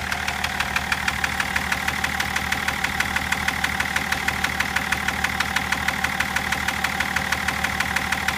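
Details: BMW M57 diesel at idle: steady sharp knock about three times a second over the normal clatter; knocking started at about 240 km/h, cause not yet known.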